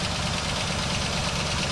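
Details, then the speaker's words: 1967 Buick GS340 idling after water pump replacement and cooling flush; steady idle with a fast, light valve-train ticking over the engine note. Lifter tap, expected to work itself out. "And we'll take care of that lifter tap. It'll work itself out."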